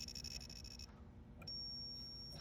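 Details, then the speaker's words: Williams System 11b Black Knight 2000 pinball, logic probe on lamp column connector 1J7 pins: quick steady chirping pulses on one line, then a flat unbroken tone on the next with no drive signal; failed lamp column driver transistor on the board. "Dead as a doornail. That's our bad biscuit."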